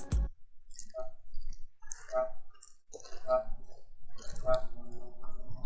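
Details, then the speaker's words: New Racer Ranger 250 motorcycle, rear bounced: short high chirping squeaks about once a second from swingarm/rear suspension linkage; owner suspects poor factory greasing, needs lubrication. "Вот, я так понимаю, что это скрипит, ну, это замечательная прогрессия. Ну, ее помазать надо."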